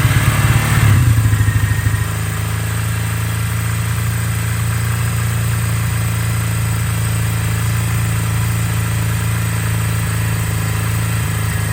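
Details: 1982 Kawasaki KZ305 twin, revived after 30+ years sitting with carbs rebuilt and synced, cold start after a few days, full choke; brief rough catch then steady even idle with constant low pulse — normal idle.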